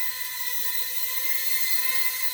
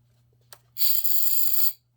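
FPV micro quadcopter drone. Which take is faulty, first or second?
second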